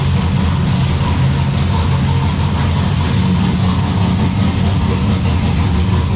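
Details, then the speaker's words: Turbo V6 Ecotec drift car, first runs, lumpy steady idle with a loose metallic buzz over the exhaust note; rattle stopped when the electric exhaust cutout was switched, so it is traced to the y-pipe or rear exhaust. "it sounds very rattly because there's um the exhaust somewhere is there's like a roost part somewhere so it's just rattling its head off so ignore that"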